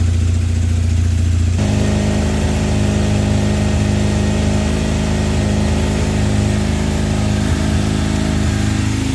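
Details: 1978 Kawasaki KZ400B after replacing a bad regulator/rectifier for a no-charge fault: small twin idles evenly, then revs smoothly with no misfire or rattle. Battery now reads 13 volts, so the new rectifier is charging; normal running.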